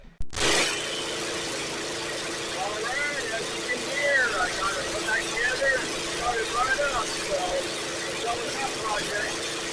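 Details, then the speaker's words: Small engine unit just after carburetor reassembly; small engine holds a steady, even hum with no misses or surging right after starting; normal running. "Alright, and there she goes. So we got another unit up and going today."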